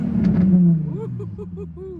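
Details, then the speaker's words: Modded Nissan 350Z at auction, temperature coming up, apparently straight-piped: one sharp blip rising and falling cleanly with loud raw unmuffled exhaust note; healthy rev. "That sounds very straight piped and very good. I like that. I like that a lot."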